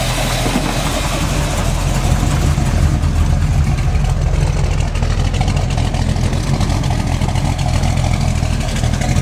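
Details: Freshly built SBC 350 V8, in gear with a vacuum gauge fitted, 10:1 flat-top pistons, aluminum 64cc heads, Edelbrock 600cfm carb, likely out of tune: rough idle with an irregular deep knock that stays with each plug wire pulled; owner suspects piston slap or flexplate.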